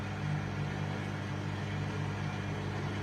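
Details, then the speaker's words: WMA40 washing machine during a test wash, after the programme is stopped: low, steady electric hum continuing without a break as the drain pump keeps running and the wash light flashes; otherwise sounds rough but fine. "The pump's still running and the wash light's flashing, so I'm not sure what's going on, but it should stop presently."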